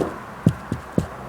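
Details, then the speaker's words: 2001 Jaguar X-Type 2.5 manual, 107,000 miles, on a road test after changing rear top and lower control arms, anti-roll bar bushes and drop links: three dull thumps over bumps; slight remaining rear knock, cause suspected, not confirmed. "if I go over something it makes that sound so I've just stuck some liner in there"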